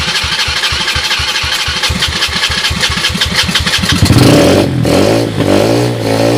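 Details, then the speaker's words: 2007 SSR 125cc pit bike with rebuilt carburetor (float issues remain) and a portable 12V GY6 CDI for spark. Started on ether after about four seconds of cranking. It runs with a clean, steady single-cylinder note, no bad sounds or smoke. "thank you it runs I don't hear any bad sounds"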